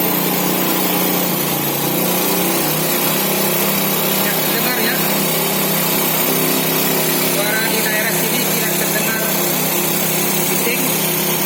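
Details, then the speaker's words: Four-stroke motorcycle after valve clearance adjustment to factory spec: a steady, even buzzing idle with no ticking from the top end. Normal idle. "Kita dengar bagaimana suara mesin setelah dilakukan penyetelan celah katup sesuai dengan pabrik. Oke, kita start."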